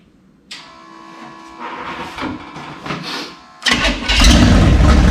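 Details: Burned-up rat rod with rebuilt carburetors, restart: starter grinds about three seconds, then engine catches cleanly and settles into steady, even idle; normal start and idle.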